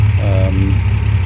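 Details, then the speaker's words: MG MGC GT, restored, engine fully rebuilt with lightened and balanced bottom end, bonnet open: quiet, even idle with soft regular pulse, no ticking or knocking; ticks over really quietly, healthy. "As you can hear, it ticks over really quietly."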